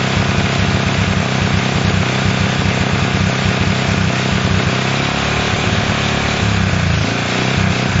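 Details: Honda CL70 single, jets already raised 73 to 75 and 38 to 40: busy, slightly uneven idle that wanders instead of settling and won't hold. The idle screw is far in and the idle resets after throttle; cause suspected, not confirmed.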